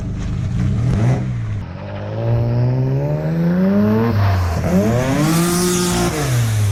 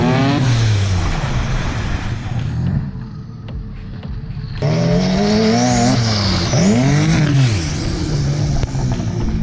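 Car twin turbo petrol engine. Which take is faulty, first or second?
second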